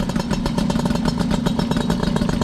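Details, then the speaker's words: MBK 51 Magnum two-stroke moped, first start in a year on choke after fuel reached it; quick, even popping idle with crisp rattly edge and steady rhythm; healthy normal idle. "Ce bruit magnifique. Il fallait que ça arrive l'essence."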